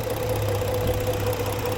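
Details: 2013 Ford 3.5 engine at rough idle: dull uneven knock deep in engine over low hum, sounding like a broken piston; oil pressure holds, smoke seen, cylinder 1 misfiring, open piston suspected, not confirmed; lower-end knock at idle.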